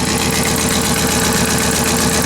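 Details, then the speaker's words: Ford F250 V10 just after a starter install, idling: a fast, sharp ticking puff rides over the steady engine note. Exhaust manifold leak, owner believes it is the gasket. "key was stuck there wheel must have been turned or locked or whatever but fired up but now you can hear that I have exhaust man old leak what's going on"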